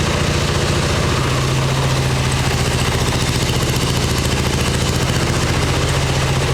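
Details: 1989 Harley Ultra Classic Tour Glide Evo V-twin, butterfly carb, on factory plugs and old gasoline, warming up: a steady, lumpy thump of about three to four beats a second on choke. It holds idle only with the choke on.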